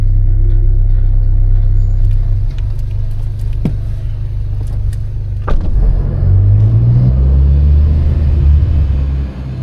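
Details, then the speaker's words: 8th-gen Civic Si after K20Z3-to-JDM K24 swap, running after first start: deep, steady low rumble with smooth even beat and a brief rev near the end, no knock or tick; healthy. "What do you think? Sounds good. It does. Sounds healthy. That started up way better than I anticipated."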